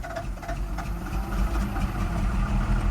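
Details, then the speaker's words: Deep, low diesel rumble at a steady idle with even clatter and no stumbles on a long-abandoned first-gen Dodge Ram D250 with a 5.9L 12-valve Cummins, after the lift pump was replaced; runs fine. "Yeah, there it is. Nice. [Applause] That is awesome. [Applause] Sounds good."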